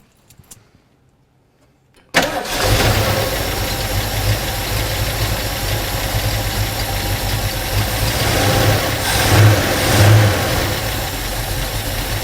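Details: 1972 Ford Mach 1 V8 restarted after sitting with old ethanol gas, good oil pressure: fires after quiet pause, settles into lopey, choppy big-cam idle, steady and strong; sounds healthy, rear rattle possibly from open door.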